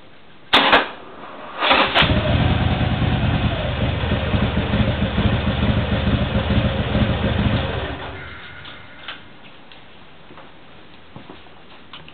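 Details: Harley-Davidson Sportster 1200C V-twin: two short cranking bursts before it catches, runs rough for about six seconds, then dies away; hard starting.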